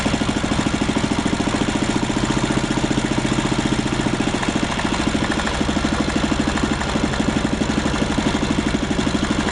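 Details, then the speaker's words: 1939 Lauson RSM 1hp marine inboard, air-cooled single-cylinder (5.9 cu in, rated 2300 rpm), audio-tuned straight pipe: even, rapid popping at steady speed with sharp exhaust bark, no knocks or misses; healthy. "It's got an audio tuned straight pipe, and it runs good."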